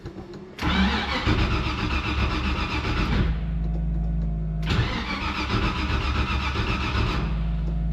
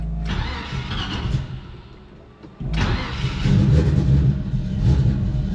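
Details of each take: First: Carbureted vehicle that has sat for a while and needs to air up, started cold: it fires with a rough burst, sags, and needs another blip of throttle to keep running. It does not like to run when cold. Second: Carbureted vehicle that has sat for a while and needs to air up: it cranks, catches and settles into a steady low idle after a brief stumble. It sounds good and runs fine.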